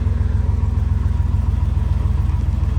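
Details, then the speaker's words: 3500HD 8.1 Big Block V8 idling after exhaust repair (mufflers welded on, manifold studs fixed, flange clamped): deep, even pulses, no ticking or puffing, almost silent; exhaust sealed and healthy. "It's almost [Music] silent."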